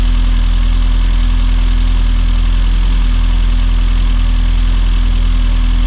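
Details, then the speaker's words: Rover Mini Cooper S Sport 5, over 106,000 miles, just after new injectors for a rough idle that appeared when hot: cold start settles into a smooth, even idle with a steady low hum and no stumble or knock. "So obviously it runs fine, it ran fine before when it was cold, it was when it got hot."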